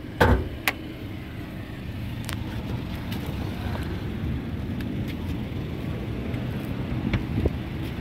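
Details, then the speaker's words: 2015 Honda Brio Satia E manual, 1200 cc, 81,279 km, clean engine; a soft, steady low hum with no knocking, ticking or misses, just a few handling clicks; described as smooth; normal idle. "kondisi mesinnya masih bersih, kemudian suaranya ya halus pemirsa. Mobil ini sangat irit karena 1200 cc ya."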